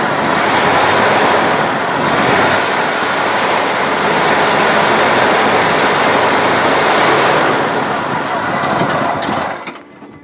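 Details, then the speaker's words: 1970 Cadillac Sedan DeVille with a carburetted engine, pulled from a junkyard field: restarted after it began running ragged on a drive, it stumbles with a beat that drops in and out and nearly stalls. At least one dead cylinder is suspected. "sounds to me like there's a at least one dead cylinder probably more that kicks in and out"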